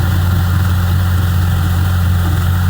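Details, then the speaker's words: Mitsubishi GTO twin turbo (JDM 3000GT VR4), first start after an IAC valve check, a 3SX fuel pressure regulator kit and helicoiled intake plenum threads; it had been revving to the limiter. Now a deep, steady, even idle with no hunting or surging: normal idle. "Hopefully it turns on and it idles nicely, but we're going to find out. Like it's running fine. Thank God."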